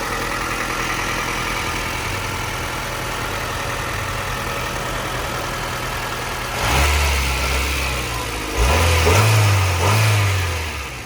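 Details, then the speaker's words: 1998 Honda Civic Type-R, 133,000 km: a smooth steady idle, then two quick blips that rise and fall cleanly with no misses, knocks or belt noise. It sounds stock, normal revving. "running engine sounds like a stock engine there's no weird belt sounds No idling issues"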